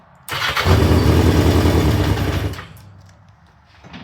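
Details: 1982 Yamaha XJ750 Maxim after ignition switch repair, cranking on jumper cables: strong, even churn about two seconds, roughly three turns a second, then stops; starter spins engine properly.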